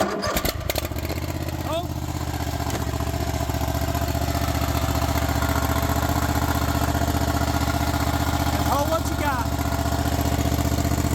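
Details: Craftsman Z6400 zero-turn mower after replacing damaged hydro drive belt: small engine holds a steady, even beat at raised speed with blades on, no misses or belt squeal; running healthy.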